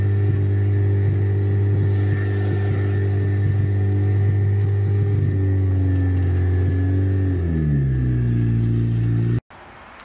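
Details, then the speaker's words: Turbocharged Honda Civic idling far too high in neutral at about 3,000 rpm, steady hum sliding down as revs fall before cutting off; owners suspect a big boost/vacuum leak from unclamped piping after working on it. "yeah it's idling super high that's a neutral yeah it's a neutral it's idling at 3,000"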